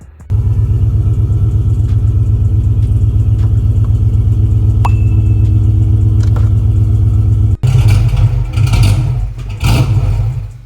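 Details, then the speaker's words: 5.7 Hemi idling with the 20 A fuel pump fuse pulled to bleed fuel pressure before an intake manifold swap: steady, deep idle rumble, then uneven chugging surges as it runs out of fuel and stumbles toward a stall. "So as you can see, again, just pulled the fuel pump relay. Not relay, the fuel pump fuse, which is it was that yellow 20 amp fuse that I was tapping on."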